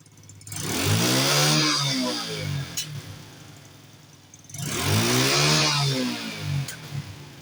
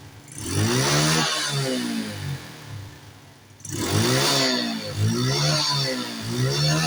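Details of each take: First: Carbureted four-stroke Honda Wave motorcycle with secondary air exhaust system: two sharp revs, and on each throttle release pops crack from the exhaust. Deceleration backfire, not engine-internal; fixed by plugging the air injection pipe. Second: Carbureted Honda Wave / Yamaha Mio-type motorcycle with exhaust backfire, after the leak at the air intake connection was sealed with glue and clamped; two clean rev-ups back to a steady idle with no pops or bangs, backfire cured.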